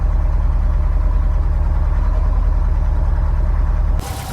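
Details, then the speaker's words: Subaru STI engine with 5,300 miles, during an exhaust install after new transmission parts: steady, even idle burble, healthy, with only normal injector tick. "5 300 miles on the engine she still sounds healthy nothing crazy normal uh injector tick got a little bit of build up in there sounds good runs good"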